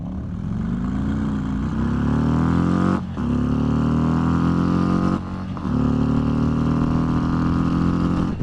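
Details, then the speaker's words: 2022 Harley-Davidson Road Glide ST with Heavy Breather intake, pulling away from a stop sign and revved out: V-twin pulls cleanly through the gears, pitch climbing each shift with brief dips; healthy normal acceleration. "Yeah, that's just more fun on this motorcycle. I don't know what to tell you. It is more fun revving this thing out than it is revving the Street Glide out."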